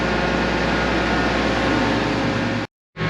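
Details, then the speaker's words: Combine, heard from the cab after running about five minutes following a winter start: a steady, even drone with no knocks or misses and a constant pitch; running healthy. "Oh, what a good feeling. There's nothing like starting up the combine, letting it run, having that exhilaration of getting out there and doing some harvests."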